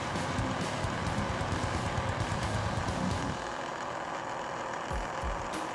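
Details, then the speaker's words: Older laptop during boot repair: loud steady roar easing slightly partway; cooling fan running flat out, owner fears overheating and will open it to check the fan, cause unknown. "I don't want this fan to be on that much longer I don't want this computer overheating or something cuz I I need to open this up and take a look at the fan make sure it's okay"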